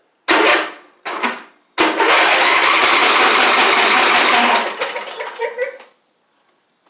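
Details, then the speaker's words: Huskee Supreme 50-inch riding mower, Briggs V-twin, one spark plug pulled, fuel pump not delivering: two short starter bursts then steady cranking that never catches; fuel starvation, one carburetor side not jetting, carb cleaning planned. "but sounds like it's not getting any gas and if I look in the carb here it appears that one of the sides is not jetting correctly"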